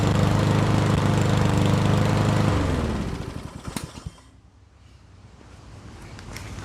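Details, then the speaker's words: Yardworks mower, after brake handle held back with vice grips: steady, even drone for a few seconds, then switched off and winds down; runs normally, confirming coil was grounded by incompletely released brake. "So there you have it. It wasn't getting spark because this handle wasn't getting pulled back far enough, and it disengages."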